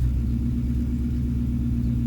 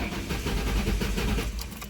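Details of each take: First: 1994-2004 Ford Mustang started right after fuel pump replacement and priming the fuel lines: deep, even idle with steady firing and no misses or knocks, one brief click; healthy smooth idle. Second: 2003 Ford Mustang GT: starter cranks in a rapid even churn but the engine never starts, shown as a sign of a bad fuel pump, before fuel pump diagnosis and replacement.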